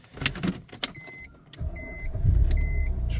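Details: BMW 3 Series (E46/E90, 2005) with EWS3, after all-keys-lost key and remote programming: dash chimes, a brief starter crank, then the engine catches and settles into a steady, smooth idle. Normal start with no issues.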